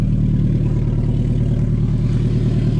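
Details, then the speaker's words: 1999 Toyota RAV4 AWD converted to a snowplow and used for two years: smooth even low rumble with no skips or misses, burns no oil, a normal idle. "not a miss there's no miss in this engine again another steady engine no movement doesn't burn any oil"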